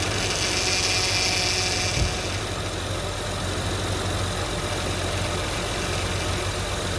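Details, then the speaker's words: 2004–2008 Acura TL at idle after replacing the power steering reservoir and refilling the fluid: a thin high whine for about two seconds, then it fades as the pump draws in fluid; the fluid level drops. "So you heard that little bit of that noise, of that little whine. It's basically the power steering pump taking in the fluid."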